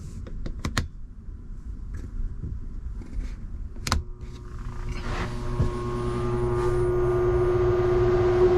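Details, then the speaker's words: Faulty Dometic air conditioner on a Cruisers Cantius 50 boat, before replacement: clicks, then it starts with a hum that swells into rough, crinkly crackling noises and flips the circuit breaker; unit to be replaced. "you can hear it turning on starting up then make some weird crinkly noises and uh flips the breaker so there's an issue with that"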